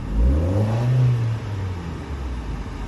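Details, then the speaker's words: Auction car, hard to start: low note revs unevenly, sags and fades, struggling to stay running and cutting off; owner suspects crankshaft position sensor, not yet replaced. "it's not idling correctly it's like struggling to stay started which isn't a big deal"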